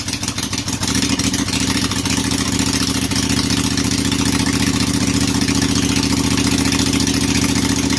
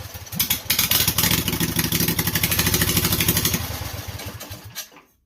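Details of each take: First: Briggs & Stratton Intek 18.5 hp V-twin, fuel shutoff solenoid removed, throttle and governor tied: catches after brief stutter, then steady even idle with no misses or knocks; runs fine. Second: Briggs & Stratton Intek 18.5 hp V-twin, choke held, fuel poured in, cranked off a booster pack: rapid uneven popping for a few seconds, then it dies; fires on the poured fuel but won't keep running.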